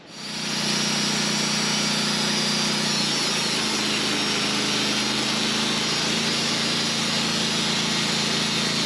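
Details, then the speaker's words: Sawmill (LT15wide) engine running a carbide blade through a 27-inch-wide black walnut Y log; pitch drops and labours under the cut's hiss, bogging down and slowing under cutting load. "I can tell you for sure carbide blades take more horsepower because you could hear that engine bogging down, going slow through this."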